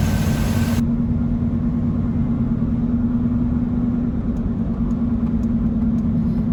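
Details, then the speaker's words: 2003 Chevy Trailblazer 5.3L V8 after a power steering pump replacement: only a smooth engine hum, with no power steering whine. "only thing you hear is the engine is how you should be hearing it anyway you shouldn't be hearing that whining noise"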